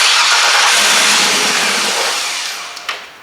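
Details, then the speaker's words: 1966 Chevelle with LS2 conversion and 6-speed, first start attempt: fuel pump primes, starter whirs a couple of seconds and winds down without firing; owner suspects injectors clogged by varnished fuel. "I hear the gas pump there it goes let's see what happens [Music] not gonna work"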